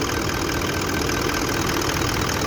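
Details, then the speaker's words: Toyota Land Cruiser diesel with codes P0093 and P0504 and blinking check engine light, caused by a shorted aftermarket anti-delay accessory: steady, quiet, even idle with soft smooth clatter, no knocks or misses. "Ibig mo talaga ito yung andar niya ganito guys, tahimik na andar."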